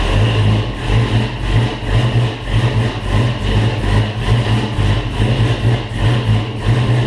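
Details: First start of a Pontiac Safari Wagon 4x4 with an L83 5.3 Gen V LT swap from a 2017 Silverado, TH350 manual valve body, 2.5-inch X-pipe exhaust with two-chamber mufflers: deep, steady, even loping burble with no knocks or ticks. Normal idle.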